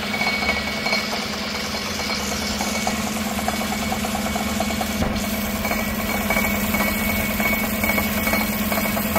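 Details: 2016 Tahoe 5.3 V8 with 140,000 miles, no check engine light, idling and heard from underneath: an irregular, light metallic rattle over a smooth idle. The driver-side catalytic converter's insides are crumbling.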